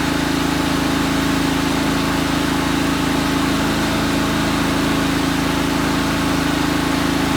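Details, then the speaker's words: 1998 Craftsman GT tractor, Kohler CV25S 24 hp, after head gasket replacement and carburetor cleaning: smooth, even idle at about four pulses a second with no misses or hunting; running much better; normal idle. "wow it seems to be running a lot better now and I cleaned the carburetor a little bit"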